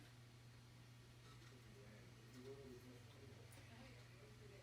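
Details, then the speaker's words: Nintendo Wii RVL-001 after replacing its clicking disc drive with a new one, cover off, reading Red Steel; quiet steady hum of the disc spinning, no clicking or grinding, drive working. "it sounds really nice it's a little loud because the uh cover is off but i think we might have a functional wii"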